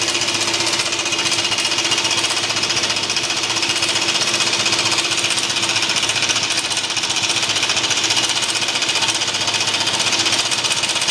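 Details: BMW C1 200 scooter engine hammering out a fast, heavy, steady clunking knock, almost jackhammer-like, sounding terminal; cause unknown.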